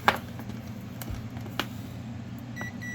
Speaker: so continuity test between the heater and earth ground it'll beep so we know that earth ground and the heater are connected